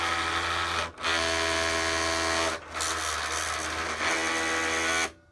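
Buzzy motor drone in runs of a second or two, gritty and rough under the whine, stopping between passes: the cutter is grinding, source unknown.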